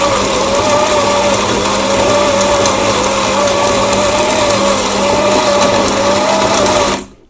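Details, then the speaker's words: Grinder on a used 2022 Lelit Anita coffee machine after repair, grind set fully fine: steady mid-pitched motor whir for about seven seconds then clean stop; grinds slowly but runs smoothly, healthy. "Yes, I tightened the coffee grinder completely. We will probably destroy this, because it grinds quite slowly."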